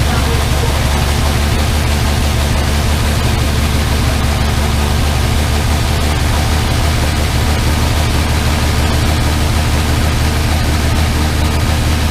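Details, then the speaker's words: Armstrong Siddeley Star Sapphire engine in open-topped sprint special, first running in probably over 40 years: steady, even low rumble at idle with no knocks or misses; running remarkably sweetly. "Well, that sounds remarkably sweet. I win. >> [laughter] >> That sounds remarkably sweet."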